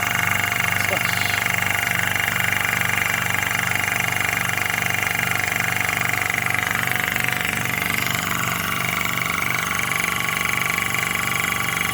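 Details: Hill EC-3000 EVO high-pressure compressor, first run, set to 300 bar, filling a 1-litre bottle from 180 bar: smooth even hum with steady pulsing about 2.5 times a second and light fan hiss; running healthy.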